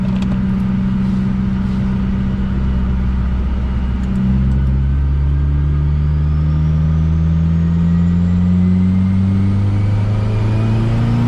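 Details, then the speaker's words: 2023 Subaru WRX (VB) turbo on dyno, 99-octane VP Octanium blend, timing pulled 1.5°; pulls hard through the revs but misfires and breaks up near the top end under boost, fueling near its limit. "And you can hear it misfire up top. I don't really like doing that."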